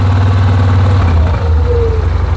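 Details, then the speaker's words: 2007 Yamaha Rhino 660, warm: partly pulled choke gives a loud, fast idle with a deep thrum and a brief sliding tone as the clutch engages; high idle forced engine shutdown to change gears. "So that makes sense, because if we pull a little bit of choke here, you can hear the clutch is engaging."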